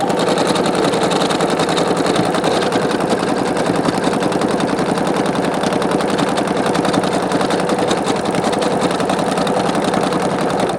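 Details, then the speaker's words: Singer Quantum Stylist 9960 sewing metallic thread with size 14 topstitch needle and standard construction bobbin thread: smooth, fast stitching hum with a light loose rattle in the bobbin case area, a trait of Singer machines, not a fault. "But as all singers do, they've got that loose sound in the bobbin case area. It sounds like the bobbin is loose. I've noticed every single singer machine makes that noise."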